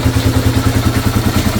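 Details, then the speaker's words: 2002 Yamaha TTR225 after a valve adjustment to cure its top-end tapping: a steady single-cylinder thump of about seven beats a second, even and clean with no tapping; running healthy. "Now here's the big moment that we all been waiting for. It sounds like a million times better."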